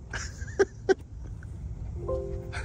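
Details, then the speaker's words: Lucid Air Grand Touring at a public fast charger after unplugging and replugging and payment authorized: button clicks, then a short clean multi-note chime, likened to the Windows sound, confirming the charging session has started. "Initiating charging. I just love that when you hit the button, you get the Windows"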